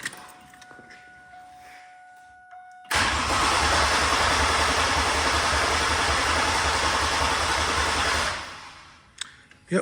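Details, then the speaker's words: 2000 Chevrolet Camaro that won't run, fuel pump reconnected: about five seconds of even, brisk cranking at three to four beats a second, no fire; crank no start, owner suspects wiring harness fault. "still not cranking or it's cranking but it's still not starting so try from here again I hate computerized cars"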